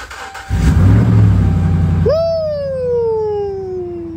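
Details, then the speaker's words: 2010 Dodge Ram 1500 5.7 Hemi with crank-no-start, after fuel pump replacement: cranks, catches at once and settles into a steady, even run with a falling whistle overlaid, no misfire or stumble; problem fixed. "so since the ram starts we know we've fixed the problem"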